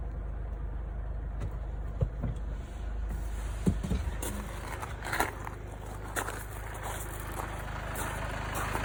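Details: Mercedes B200 W246 with the OM651 diesel, after replacement of a faulty timing chain tensioner. It was briefly rattly until oil pressure filled the new adjuster, then went quiet. Now a low, steady idle with no chain rattle, only a few handling clicks; it sounds healthy.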